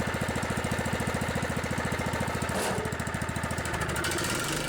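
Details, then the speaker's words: Scotts riding mower, Kohler Command 15 hp engine, after a cold start: quick, even firing pulses with no misses; runs well once cleared out, normal idle. "it runs pretty good it just needed to clear out a little bit"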